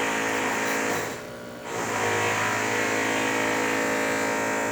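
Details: DeLonghi espresso machine after full service and tune-up, pulling a test shot: steady buzzing pump hum with a brief dip, then back to an even drone; running correctly; normal pump operation.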